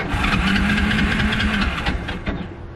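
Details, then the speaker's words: Kawasaki KLF 300 ATV after engine rebuild and neutral gear holder repair: short burst of uneven firing that sputters and fades within seconds; hard starting, won't keep running, owner thinks he flooded it. "It start without cleaning. No, it's not starting. I'm pretty sure something's not."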